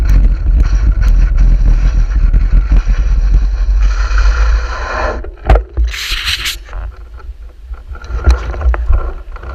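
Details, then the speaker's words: Two-wheeler ridden in rain after a sudden rear puncture: a rough scraping rattle from the rear under wind rumble as the rim rides on the tarmac. "Whatever I hit, just emptied the tyre of air instantly. It went down instant, but you'll hear the back end rattling as the rim's riding on the tarmac."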